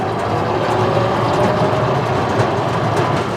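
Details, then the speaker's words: 2023 Landmaster EV 4x4 Crew electric UTV driving over rough hill terrain: steady rolling noise with loose metallic rattling and clatter over bumps from the steel cargo bed; normal, a poly bed is quieter. "Again, this model has a steel bed in the back, so you're gonna hear some of that noise from that bed rattling around, but if you've got the poly bed, you know, that'll definitely be a quieter experience."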